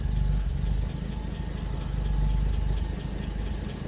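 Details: 1970 Jaguar E-Type Series 2 with triple carbs, warmed up, in for an oil pressure gauge reading zero despite good oil pressure on a manual gauge; steady, even low burble with no knocks or ticks, a healthy warm idle.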